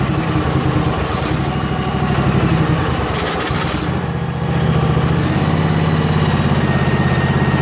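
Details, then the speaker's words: Craftsman GT6000 garden tractor with Briggs & Stratton Vanguard 16HP horizontal-shaft engine, running after fitting the fuel pump pulse line: steady, even note with no misses, knocks or rattles. "how about that guys man that sounds great doesn't it I'm stoked fantastic"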